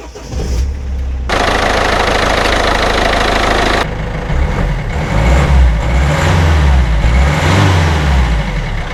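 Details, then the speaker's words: Mini Cooper D Clubman diesel after turbo replacement (turbo not always kicking in, damaged turbine fins) and oil change, excess oil drained toward 3.7 L: cranks, fires promptly, revs briefly, drops to even steady idle clatter; repair a success. "Well, I think that is a success. Not bad for a Sparky."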